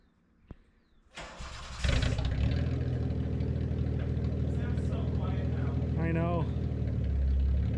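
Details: Datsun 280Z after ignition timing adjustment fixed sluggishness and hard hot starting: cranks, catches quickly and settles into smooth steady idle, no misses or popping, no longer shooting flames; normal running.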